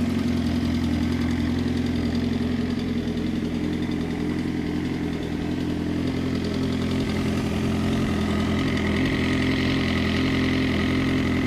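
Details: Suzuki GSX-R motorcycle at idle: light, even tick about two to three a second that disappears at 2500 rpm; went away briefly after resetting the cam chain tensioner, then returned after 5 minutes; owner suspects timing chain or tensioner.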